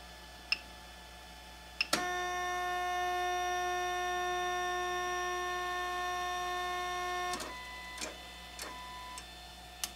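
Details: 3D printer Z axis moving on A4988 stepper drivers, before the swap to TMC2208s: a steady, high-pitched singing whine with several tones for about five seconds. Loud stepper motor noise from the A4988 drivers.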